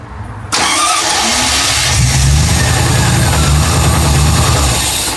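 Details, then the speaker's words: MGB GT V8 conversion, first start of the V8: brief crank, catches straight away and settles into a steady, even V8 burble with light blips; shut off because the oil pressure gauge had not moved. Normal start and idle. "No, it sounded right, didn't Sounds it? good."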